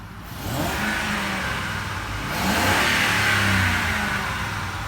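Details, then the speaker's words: 2007 Ford F-150 5.4L V8 after a Spectre cold air intake install; two clean free revs climb smoothly and settle back without stumbling, intake breathing sounding free-flowing and unrestricted: normal free revving. "Idle's nice and smooth. Sounds good. Sounds a little bit more like makes that good noise. Like it's got a few more beans in it, and like it's free flowing and not restricted."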